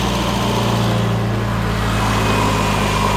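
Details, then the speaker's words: 1997 Urban Interceptor three-wheeler, Mazda-based 1.3 L automatic, idling after new wiring to the injectors and the fuel pump: smooth steady idle, no knocks or misses, running on all four cylinders. "just like that runs really good sounds nice no knocks no noises running on all four customer is gonna be very happy"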